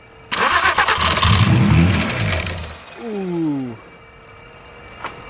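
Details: Totaled VW R32 with broken throttle body connectors: labouring starter churns unevenly for about two and a half seconds and stops without the engine firing; cranks, no start.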